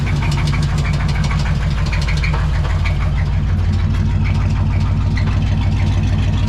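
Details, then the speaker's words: Two-wheel-drive C20 truck that suddenly quit ("kerplunk") while being driven and was towed home; restarted at idle, it gives a hard, regular knock about three per second over a low rumble. Cause is unconfirmed: others suggest a spun bearing, and it is also leaking power steering fluid. "So we're gonna try to start it up here real quick just to see. I'm afraid. Ooh, yeah, listen to that. Doesn't sound, yeah, it sounds pretty bad."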